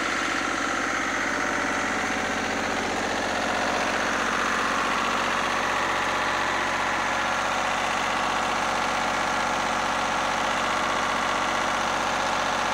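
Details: Lister diesel generator after plumbing a new fuel system and sealing a leaking fuel filter: a smooth, even diesel chug at steady speed with no knocks or misses. It is running normally.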